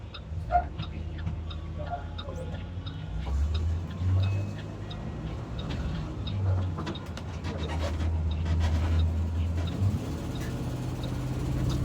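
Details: 2022 IC CE gasoline school bus: low rumble with uneven fast ticking from an exhaust leak; the converter is reported to be faulty.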